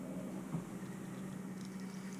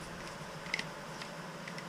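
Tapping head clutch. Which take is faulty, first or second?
second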